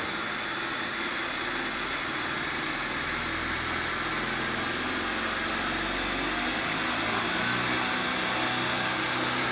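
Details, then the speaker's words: Nissan X-Trail driveshaft (cardan) after balancing, run from zero up to 6000 rpm: steady rushing spin with even tone, no throb, beat or shudder, no vibration even in a loosely hanging handle; shaft well balanced and turning smoothly. "Ничего не трясется, ничего не вибрирует. Даже эта ручка, которая произвольно висит, смотрите, она не, видите, она свободно болтается."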